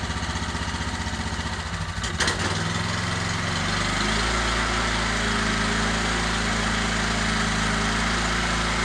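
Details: Genuine Honda GX390 13hp engine on test cart before fitting to old Ariens Rocket RT 8020 rototiller, choke on, new pull rope: catches after brief stumble, settles into steady even putter, no misses or knocks; runs healthy.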